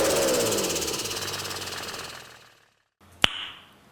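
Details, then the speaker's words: Mercedes S210 OM606 diesel with newly fitted HX35 turbo and large intercooler, unused three years: on throttle lift revs drop with a rapid fluttering chuff from the turbo; compressor surge induced by deliberately restricting the boost intake. "Bon là, tu peux voir pour que ça fasse un peu le bruit de turbo, je suis obligé de de légèrement boucher la suralimentation pour qu'il y ait de la surale et que ça fasse l'effet surge."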